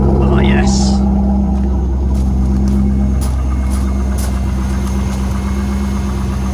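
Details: Corvette C5 with a manual gearbox and LS1 V8, after fitting a third replacement PCM and a theft-deterrent relearn: the engine settles into a steady, even idle with a constant low hum and no misses or knocks; it is running normally.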